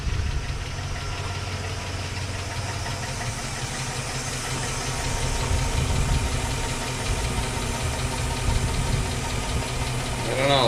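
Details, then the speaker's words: 2005 Chevy Suburban 5.3L V8 with a passenger-side lifter tick, restarted after an engine flush and oil change: a light, fast ticking over an even idle. It is about the same as before, so lifter tick persists. "it sounds about the same oh maybe no it's about the same"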